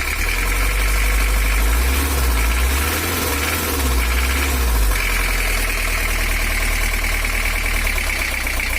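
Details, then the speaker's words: 1982 Toyota Hiace LH11 diesel that overheats and has a non-original exhaust stack, idling harsh and clattery with an uneven hard knock about four times a second; injection pump timing is off and is to be reset to standard. "Hai untuk Toyota HS atau lh11 itu sebenarnya nggak perlu suara kasar Karena untuk diesel kecil itu suaranya mesti halus langsam dan bertenaga"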